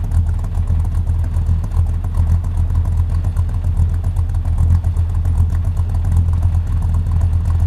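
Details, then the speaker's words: Buick V8 with a small cam idling with the AC compressor loaded, which drops idle about 200 RPM. Deep, uneven, lumpy loping beat. "it sounds so much nastier with the AC on and it loaded up on the compressor cuz it idles down like another 200 RPM"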